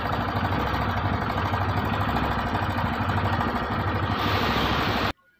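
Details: TVS BS6 single-cylinder bike (Radeon / Star City Plus / Sport) at idle: a busy, uneven patter rides on the low thump. The clatter is from the timing chain.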